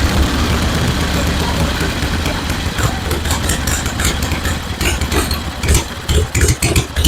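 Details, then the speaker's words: 1974 Harley-Davidson Ironhead Sportster chopper after ignition work restored spark: deep, loping V-twin idle with an even, steady beat; sounds much smoother and healthy. "okay I'm happy with that sounds a whole lot better it's a whole lot smoother it's got a good L to it now"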